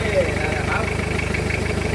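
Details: Diesel engine after starter motor repair (armature/commutator worn, rebuilt); needs two glow-plug cycles before starting. Steady, even diesel clatter at idle with regular low pulses, no misses or knocks; the engine now starts and idles healthily.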